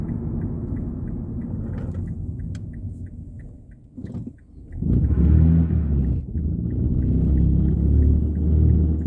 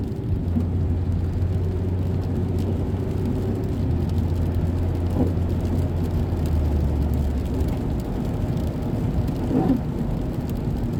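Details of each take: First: 2006 Mazda 3 2.0 L before repair, tapping the accelerator in reverse and drive and driving normally, heat shields ruled out: road rumble with sharp irregular pops and rattling; suspected worn or torn engine mount. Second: 2006 Mazda 3 2.0-litre on a road test after engine and transmission mount replacement for rattling/popping noise: smooth, even engine hum with wet-road tyre hiss, no clunks or thumps under load; normal driving.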